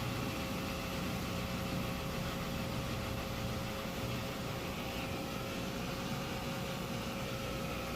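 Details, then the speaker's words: Maytag Bravos HE washer, heavy-duty cycle with super heavy load, end of spin: steady low hum with faint whir as drum winds down and drain pump kicks on to remove last water; normal slowdown. "okay and it's coming down now they kicked the drain on to pull the last little bit of water out"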